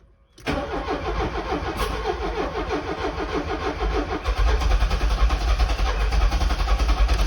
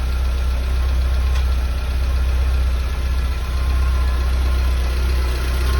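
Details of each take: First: Porsche 924 after distributor rebuild (ignition impulse sender replaced) to cure a hot-start breakdown: cranking catches and runs roughly, unevenly for a few seconds; timing turned a couple of degrees counterclockwise, still needs further ignition timing adjustment. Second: Porsche 924 Safari build, cold start after new coil (about 6 V while cranking), new distributor cap and rotor, all earth points cleaned: runs really nicely, idles very smoothly with the block completely still; low, steady, even cold idle with no knocks, misses or surges.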